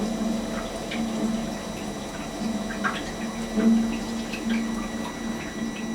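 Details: Webasto diesel heater on a boat, supplying hot water and central heating, during its firing-up process after pressing the red button; steady low hum, faint fan note and light pump ticking, even with no roughness; normal start-up.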